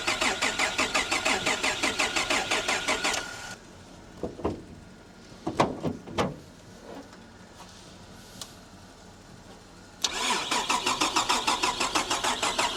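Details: VR Commodore manual after BCM swap and key repair, new battery; steady rhythmic cranking about three strokes a second that never catches, then a second long crank; spliced-in aftermarket immobilizer believed to be stopping the start: crank no start.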